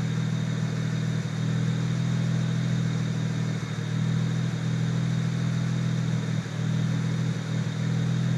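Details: BMW 335i N54 idling: deep steady hum with occasional uneven dips and stumbles, car shakes violently and often, no fault code, acceleration fine, dealer called it unfixable. Rough idle.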